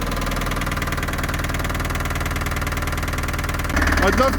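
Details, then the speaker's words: Long-stored Land Rover Series III diesel just restarted on a new battery: loud, uneven idle with a heavy knock, roughly four a second; idles on its own but revs poorly, owner suspects top-end knock, not yet diagnosed. "although it runs like a Bag of Nails it actually idles on its own it doesn't rev very well and I'm not sure what that knocking is but it sounds like a top end knock"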